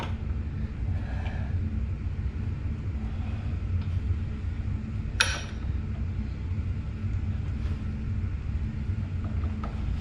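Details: Honda Spree 50cc scooter cranked at full throttle during compression testing: steady low whirring crank with no firm compression beats and no catch; low compression, owner unsure of cause, possibly needing a new motor.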